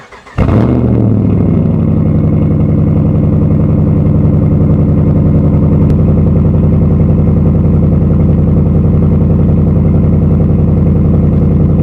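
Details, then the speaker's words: 2013 Dodge Ram pickup with 3-inch lift and big aftermarket tires, cold start: it catches and settles into a fast idle with a light, regular ticking over the V8 rumble. Lifter tick, the typical Dodge tick. "and of course it wouldn't be a Dodge if you didn't have the infamous tick it's got the nice Infamous uh Dodge tick can't be a Dodge without that tick"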